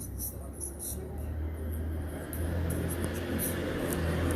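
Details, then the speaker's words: Laptop speaker playing a video sounds very quiet, muffled and choppy with low buzzing, crackles and breakup; speakers found corroded, to be replaced with new ones. "Oi e o efeito picando o áudio e vamos comparar com a troca depois por novos alto-falantes"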